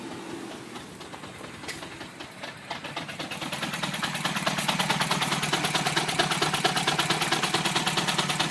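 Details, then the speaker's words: 2007 Mini Cooper S R56 with JCW Stage 1, about 60,000 miles, cold start after sitting overnight: lumpy idle stumbling about three pulses a second, as if firing on two cylinders; check engine light on. Owner suspects the HPFP and will try spark plugs. "This is a cold start. It's been sitting overnight. It just can't get up to speed."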